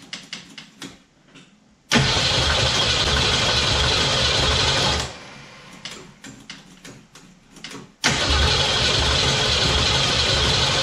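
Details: 1969 Mustang V8 first start, electric choke not yet hooked up, oil burning off the top of the motor. Fires up loud, settles to a steady even idle and restarts cleanly; no smoke, good compression, normal.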